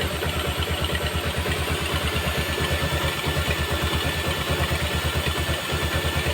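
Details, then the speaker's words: Yamaha Jupiter MX idling after rebuild with reboring and replaced piston and connecting rod: steady, smooth single-cylinder putter with the radiator fan whirring, no knock or tapping, and the smoking is gone; normal idle. "Oke kita dari dekat cukup halus suaranya ini kipasnya dia berputar itu"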